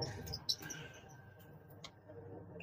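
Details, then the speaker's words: Panasonic washing machine spinning slowly, motor runs but drum not driven when held: short high-pitched squeaks like a trapped mouse over low motor rumble, indicating a failed gearbox needing replacement. "jadi nih nampak permasalahan ada pada gearbox karena dari suaranya pun ada suara seperti tikus kejepit seperti itu"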